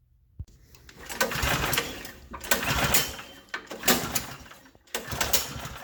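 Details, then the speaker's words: Snowblower that won't start, fuel sprayed directly into spark plug hole: engine catches in short ragged bursts about a second, sputters and dies, running only on primed fuel, pointing to a carburetor not feeding; carburetor to be cleaned. "so that's it if it does start for a short time and then die you know that it's a fuel problem because you are bypassing the carburetor giving it fuel directly and it runs until it burns off what you've given it"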